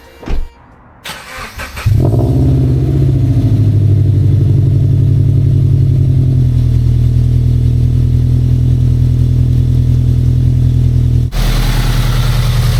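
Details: Subaru BRZ, first start after fitting unequal-length headers and flashing a stage 2 tune: engine catches and settles into a rough, chuffing idle with ragged low puffing over the exhaust; exhaust leak at the header, later fixed by tightening and repositioning the gasket.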